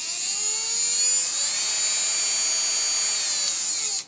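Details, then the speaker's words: Cordless drill/screwdriver motor driven by PWM trigger control, electrics connected: at minimum duty cycle a thin high whine starts at low power, brightening as the trigger is squeezed further until the motor spins up smoothly; normal start-up. "Että se rupeaa inisemään ihan pikkuteholla kun painaa tuota liipasinta, eli se pulssisuhe on nyt sitten minimissä. Ja sitten kun sitä kasvatetaan tänne päin, niin se kirkastuu vähän tuo ääni ja moottorikin lähtee jo pyörimään."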